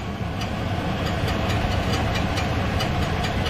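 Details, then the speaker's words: Chevy Silverado, listed as 2013 and stated as 2003, in for oil leaks and a strange under-hood noise, heard from underneath: rough idle with loose metallic ticking about four a second, suspected to be the flywheel hitting the starter. "that sounds like the uh flywheel keeping a uh the starter the starter right there see it the noise that noise that sounds like the fly is hitting the starter"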